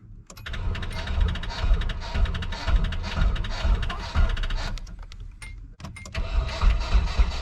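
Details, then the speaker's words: Nissan S13 240SX engine swap, cranking after jumper harness wiring with the fuel pump running: starter spins in an even low chug, about two beats a second, with no firing; no start because the igniter-to-distributor plug was disconnected. "examining the engine bay I noticed I did not have the uh main like igniter to distributor plug plugged in so that would explain why it wouldn't start"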